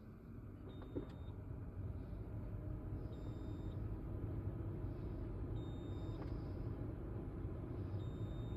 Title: Beeping sound polestar 2